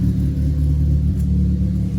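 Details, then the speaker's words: Ford Fiesta ST with a misfire: deep, uneven, lumpy idle while coil packs are pulled one by one to find the misfiring cylinder. "So, yeah, we're going to pull here. That's running uneven."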